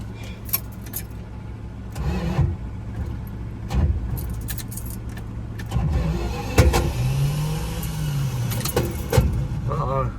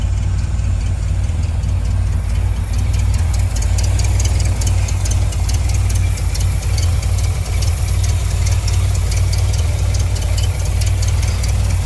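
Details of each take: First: 1973 Dodge Dart Swinger that sat over a decade: short bursts of starter whirring with uneven churning, but it never fires; cranks without starting, cause unclear (possible lock-up suspected). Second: 1973 Dodge Dart Swinger, sat over a decade, first start after battery charging: deep, steady idle holding on its own with an even beat and no misses or knocks; normal idle.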